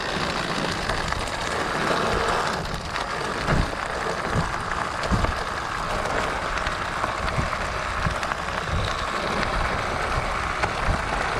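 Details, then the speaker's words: Riding a bumpy trail with a Pletscher Esge kickstand retracted and a stick wedged in to stop the lever arm jiggling. Only tire crunch and trail noise, no rattle or clunk; kickstand now silent. "So there it is. That silences it completely. It's actually the quietest of the hacks that I've come up with."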